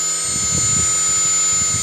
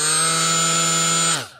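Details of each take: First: Milwaukee M12 die grinder with a different, better-balanced Roloc abrasive disc: clean steady high-pitched motor whine, no wobble or chatter, only slightly noisier than with the stock attachment; normal running, no vibration. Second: Milwaukee M12 die grinder with unbalanced Roloc disc attachment: loud, harsh high steady whine with buzzy edge winding down on release; extreme vibration and visible wobble from unbalanced disc.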